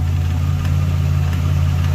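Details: Nissan Patrol GQ with RB30 six, just revived after rewiring, new power steering pump and radiator refitted; engine still cold: steady, even low hum with no knocks, misses or hunting, idling smoothly and healthy.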